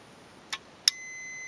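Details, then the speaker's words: Warn M8000 winch, bench test of the bottom solenoid with power applied and grounded: two crisp clicks as it pulls in, then a steady continuity-meter beep across the posts, normal solenoid switching. "so as you can hear it clicks okay uh we do have continuity in between the two posts so we'll carry on"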